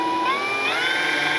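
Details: FMS P-47 Thunderbolt RC warbird, brushless 4258-KV460 motor on 80A ESC with balanced prop, run up on the ground: high electric whine sweeping up then holding, thin rough edge; owner suspects a magnet, cause unconfirmed.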